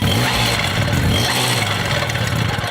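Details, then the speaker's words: Cold moped, scooter or motorcycle engine with choke turned off too soon: raspy, uneven revving that stumbles and gurgles instead of climbing cleanly; choke should be reactivated and engine warmed another 30 seconds. "if on the other hand when you turn off the choke the engine starts that descending gurgle or if the bike stops running or if revving sounds sickly"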